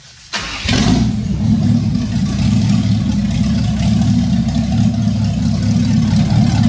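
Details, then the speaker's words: 1967 Chevy van after 4x4 conversion, V8 with a brand-new, unadjusted carburetor just bolted on and timing set by ear; catches right away and settles into a strong, even idle with a steady rumble and no misfire. "we haven't touched that carburetor it's a brand new carburetor and all we did is is Bolt it on so it it runs that good just bolting it on"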